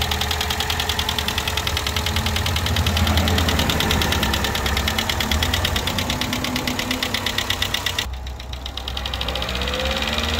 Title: 2011 Chevy Cruze LTZ Turbo engine ticking noise on top warranty inspection video clip #karcheckz